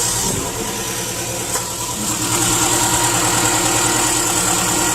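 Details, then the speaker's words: 2010 Subaru Impreza 2.5 non-turbo (113,000 miles) on first start after an engine replacement, since the old engine had run without oil. No coolant in yet. It idles steadily with a smooth hum and no knocks or ticks, and no problems are seen. "I don't see anything goofy going on. And I think I'm good to go."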